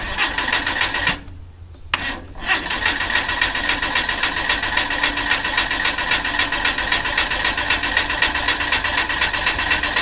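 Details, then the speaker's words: Mitsubishi Cordia demo-derby car, started after sitting about 7-8 years, with fresh gas, cleaned fuel filter and new battery. It fires within 20 seconds and runs fast, raspy and even through a straight-through exhaust, with no knocks or misses. "well that was pretty uneventful fired up within 20 seconds"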